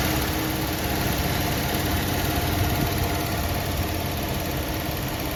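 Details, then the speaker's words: 1973 Ford F100 302 Windsor V8, 3-speed column manual, parked 16 years, carburetor worked on, first start, slightly smoky: even steady idle with constant low rumble, no knock or stumble; runs like a sewing machine, smoke expected to clear as rings seat. "like a sewing machine man it's a runner good job on the carburetor"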